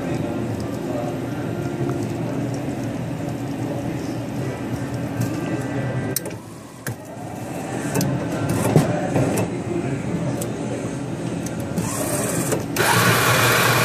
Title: Mechanical unit-Weird noise, running backward?